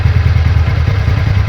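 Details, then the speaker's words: TVS Ntorq 125 BS6 scooter idling after repair: steady low putter, even firing, no rattle or knock from the drive; normal healthy idle, problem solved. "तो इस तरह का sound होना चाहिए हमारा engine का तो दोस्तो इस तरह से जो है हमारा प्रॉब्लम सॉल्व हो चुका है"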